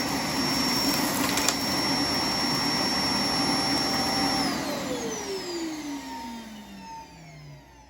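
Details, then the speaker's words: iRobot Roomba S9+ after software update 3.12.8, at its dock: loud high suction roar holds a few seconds then pitch slides down as the motor spins down; found dock and self-emptied normally. "yeah so it found the dock with no problem emptied itself right away it seemed to know where it was going"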